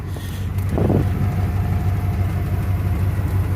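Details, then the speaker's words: 1992 Ford Bronco, sat for months, plugs changed (gaps/type doubted): lumpy idle with low puffing rasp and early chuff; small hole in exhaust, muffler barely connected past the cat, slight smoke, running rich. "Exhaust's got a little hole in it up there, huh? Smoking a little, but not bad, but also it's been sitting for months, so that's not horribly abnormal."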